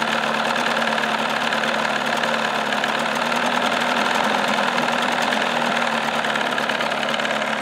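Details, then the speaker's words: 1979 Evinrude 35 hp outboard, cover off, warming up with decibel meter reading about 92 dB (max 96.4, min 83.6): loud, steady high-pitched buzz, even beat, no knocks or misses; normal running. "this motor's got a high pitch rear you know pretty loud and that's okay because that's what it's going to do"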